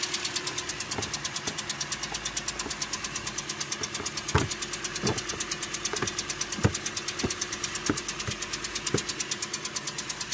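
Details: 2013 Toyota Corolla 2.0 XLI 3GR petrol engine idling: rapid metallic ticking and heavier, uneven knocks, said to fade when hot; first suspected connecting rod bearing, from broken roller rocker arms.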